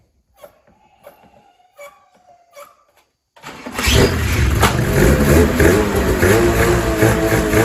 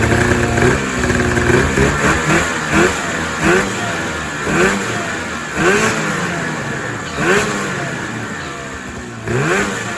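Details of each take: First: 2000 Ski-Doo MXZ-X 440 liquid reed-valve two-stroke race sled after carb cleaning, new pickup line, fresh premix and primer lines flipped to correct: a few clicks, then fires at once into a steady, crisp fast idle; healthy. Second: 2000 Ski-Doo MXZ-X 440 two-stroke race sled, first running after fuel system flush and water pump repair, airbox off: uneven burbling idle with lumpy surges about once a second; owner says it's a little fat, loaded up and choked at low end idle.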